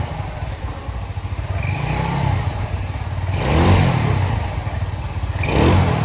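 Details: Yamaha Nouvo Z that previously had a rattling engine, after restoration with bore-up and a cleaned, rebuilt carburetor: clean low exhaust note rising smoothly on two throttle blips with no ticking or clatter. The engine runs healthy.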